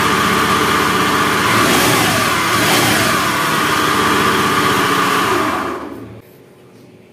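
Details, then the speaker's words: Honda Beat FI scooter engine running harsh and gravelly with a helicopter-like chopping rumble, worse when revved; typical of a worn left crankshaft main bearing. "Oke, jadi suaranya seperti itu ya, kasar sekali. Kalau suara seperti ini biasanya itu krek as ya, klaker. Jadi bearing yang sebelah kiri itu biasanya aus."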